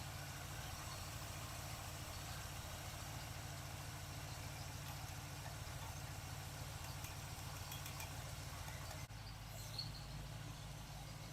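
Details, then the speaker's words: 1947 Ford street rod with a carburetor rebuilt a couple of years ago, on a hot day: low, even V8 idle with a steady rumble and no miss as the choke opens. Normal warm-up, running much better. "We're good. Choke is opening up nicely. Sure is running a lot better."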